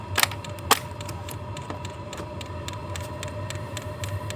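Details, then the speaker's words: Hcalory diesel heater booting up: light, sharp ticks about twice a second over a faint fan hum. This is the fuel pump clicking normally during startup, and the clicking continues while running. "so that clicking sound right there that is the fuel pump running"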